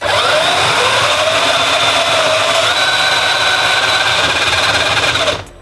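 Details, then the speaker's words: Radio Flyer Ultimate Go Kart 940Z, 24 V, warm burning-out drive motor: high steady whine with gear chatter for about five seconds, then abrupt cutout as the motor's thermal breaker trips. "so this thing tripped it'll trip for a couple seconds and then it'll turn back on again"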